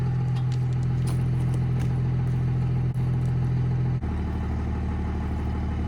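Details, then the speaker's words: 1971 Dodge Charger Super Bee 383 V8, after engine pull with new core plugs, water pump, fuel pump, alternator and thermostat, started without touching the pedal: deep even rumble settling to a lower, slower healthy idle. "but we'll do a quick fire up here and listen to that glorious 383 one more"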